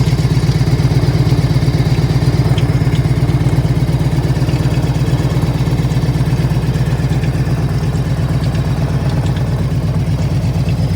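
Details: 1998 Harley-Davidson Ultra EVO V-twin with 83,000 miles idling with a deep, even lope, while a light, irregular, random tick comes and goes above it, like something bouncing around inside; cause unidentified.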